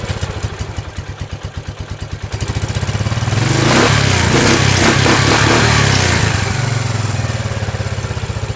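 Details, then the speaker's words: 1999 Kawasaki Prairie 300, sat 10+ years, cold, carburettor cleaned and fuel lines replaced, smoking from fogging oil: steady single-cylinder idle, then a rev that roughens and hesitates. Quarter-throttle stutter; uncleaned mixture-screw port suspected. "it runs real good uh once you get past that quarter throttle stutter i don't know what that's about might have something to do with the uh the mixture screw"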